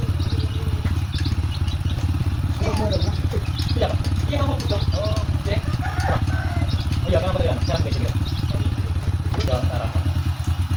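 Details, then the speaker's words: Honda Supra X 125 motorcycle after repairing rough middle-engine noise, including cam chain and tensioner refit: steady, even low engine drone with no knocks or rattles; engine now smooth compared with before repair. "Nah, ini setelah kita perbaikin ya dan mesinnya sudah halus berbeda dengan pas baru datang. Oke, bisa didengarkan suaranya sudah halus ya."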